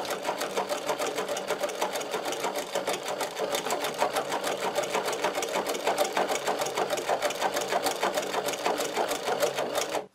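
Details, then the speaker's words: Podolsk sewing machine driven by a servo motor, with a Teflon foot, No. 150 needle and No. 15 thread, stitching thick leather; steady, even ticking of about three stitches per second over a light motor hum, running smoothly. "Теперь мы будем сшивать кожу на машине «Подольск». А двигатель приводится в движение сервоприводом."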